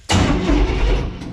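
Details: 1952 Ford rat rod with neutral safety switch bypassed by taped twisted wires giving poor contact: starter engages sharply, engine catches at once and settles into a lumpy even idle; cranking works once contact is made.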